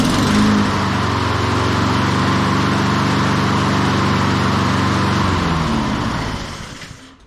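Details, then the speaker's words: Honda HRN216 mower, one season old, restarted after no-start complaint with fresh fuel and spark plug check: even, brisk single-cylinder drone holds steady, then winds down cleanly at shutdown; sounds healthy. "there she is first pull I figured to take at least two or three but uh yeah first pull let's do that again"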